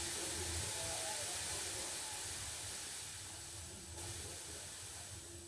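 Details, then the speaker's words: Bose L1 Pro16 PA speaker switched on with no volume up: steady, piercing high hiss with a thin ringing tone, audible from a distance and unlike normal mains hum or hiss; cause unknown. High-pitched ringing hiss. "this isn't the normal mains hum that you can hear through speakers or the hiss that you can hear through speakers this is hiss from the bose"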